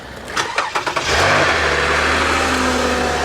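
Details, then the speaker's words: Salvage 2017 Porsche 911 with light accident damage, started on a jump pack: brief starter churn, then catches cleanly into a smooth, steady idle with no knocks or misses; runs nice, normal. "Oh wow. Wow, she runs nice."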